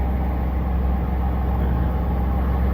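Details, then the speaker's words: 1998 Chevy Silverado 1500 with 4.3 Vortec V6, 4WD, just after a fuel pump replacement for low fuel pressure and hard starting: deep, steady, even idle with no misses, knocks or ticks; fuel pressure about 50–53 psi. "That baby's running good, though. It started up real quick."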